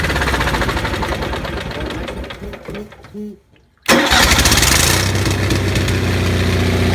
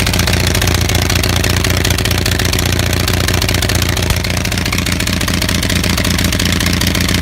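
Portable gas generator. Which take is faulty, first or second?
second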